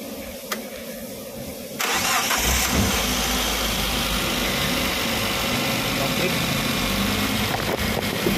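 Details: Suzuki APV after timing belt replacement, everything reconnected: engine cranks briefly, catches cleanly, settles into a steady even idle with no misses or knocks; normal start and idle.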